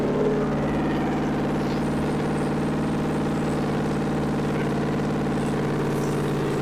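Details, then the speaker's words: 1964 Chevy 283 small-block V8, fresh budget rebuild with DIY porting, first run on a test stand: steady even warm-up running note, no misses or knocks; runs smoothly and healthy. "well that was noisy but it worked okay well this thing runs it warmed up hopefully we broke everything in it didn't sound like it started missing or anything"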